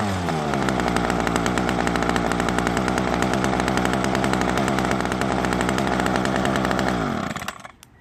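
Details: Ryobi two-stroke string trimmer, stored for years with a broken primer bulb, after carburetor service and bulb replacement: fast, even buzz held steady at high revs for seven seconds, then winds down cleanly; it runs properly.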